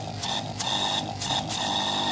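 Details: 850 air pump after repair of a magnet fault and reassembly: steady bright high buzz pulsing in short regular surges, pressure now much higher than before; runs normally, though still somewhat noisy.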